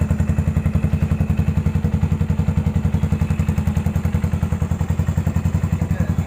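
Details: 2014 Yamaha SR400 single idling after rust flakes were cleaned out of the fuel tank: quick, even thumping with steady spacing and no stumbles or misses; a smooth, healthy idle.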